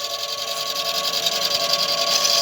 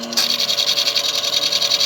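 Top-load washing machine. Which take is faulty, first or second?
first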